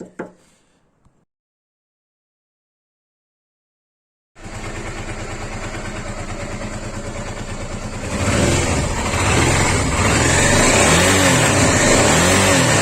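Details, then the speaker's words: Honda Africa Twin RD07 restarted after a part was tightened: steady, fast regular tap about three per second that persists while revving; the engine noise remains, possibly timing related, origin unclear. "Je vais serrer ça. Et je vais redémarrer voir si ça... Il y a toujours le bruit."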